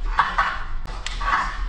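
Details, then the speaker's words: Fox X2 rear shock on a Radon Swoop enduro bike, pumped by hand: short gurgling, squelching bursts from air trapped in the damper oil, cavitation that keeps rebound and compression from working properly, with air passing through the valving. The shock is being sent back for warranty service. "l'huile l'air pe reste emprisonné dans l'huile et on a ce bruit de cavitation et du coup le rebond et la compression fonctionne pas correctement et on a de l'air qui passe dans la clapetterie"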